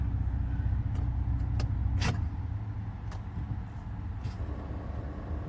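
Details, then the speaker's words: BMW 750i with N63 twin-turbo V8, low oil warning: several sharp isolated clunks as the starter engages with no cranking rhythm; not a bad starter but a locked-up engine. Seized engine. "no that's not a bad starter that's a uh it's a locked up engine"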